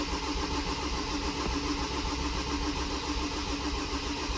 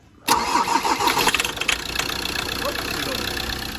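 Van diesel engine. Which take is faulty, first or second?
first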